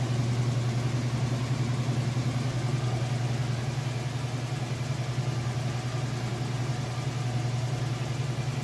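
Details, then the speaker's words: Whirlpool Roper washer, a few years old and in like-new condition, on the spin cycle with a large load of towels and jeans: an even low drone with no unbalanced banging or bearing rumble. Quiet and level, a normal spin. "you can see, it's working great. It's nice and quiet, nice and level."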